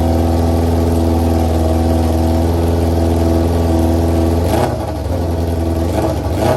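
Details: 2001 Yamaha R6 after a carburetor rebuild, new jets and a bad-gas flush: steady even idle, then a throttle blip with pitch climbing and falling back. Engine runs cleanly.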